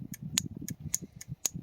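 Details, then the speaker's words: EGR vacuum solenoid from a Toyota T100 2.7L 3RZ-FE (code P0402) bench-tested on alligator leads: sharp clicks about four a second; intermittent coil fault. "So when I did it off camera. I did it didn't get anything, and then second time it clicked, and then after that I couldn't get it to click again. I played around with it a little more, then it started clicking, so it started working."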